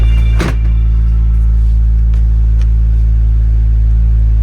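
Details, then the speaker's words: Fiat 124 Lusso, cold start when brought out for the season: steady low rumble at idle with one brief dip near the start, then it settles evenly. The stumble is normal for it. "it is normal for it to stumble a"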